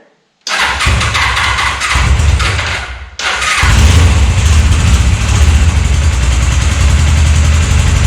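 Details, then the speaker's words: 1998 Suzuki GS500 twin after carbs refitted, starting without choke: low, slightly lumpy idle, below the roughly 1250 rpm owner expects, with light ticking; owner hears valve train and maybe timing chain noise but thinks it runs fine. "it should run a little bit faster i think it should have like 1250 it should run like this the engine is a bit clacky you can see some valve train uh you can hear some valve train noise and maybe maybe even the timing chain but i think it runs fine"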